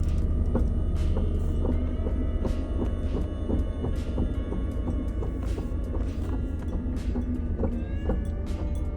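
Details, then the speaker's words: Vehicle in drive, coming off the gas with the foot leaving the brake. Regular hollow knocks about twice a second over a low rumble, silent on the gas; caused by a skid plate that had not been fully tightened down. "Thankfully, it just ended up being a skid plate they forgot to fully tighten down."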